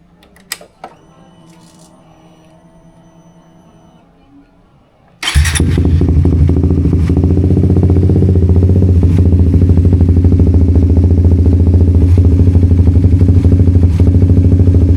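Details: Suzuki GSX-S150 single-cylinder restarted after fuel filter and O-ring replacement with fairings reinstalled: quiet, then catches at once and settles into steady, even idle without misses or knocks; normal idle.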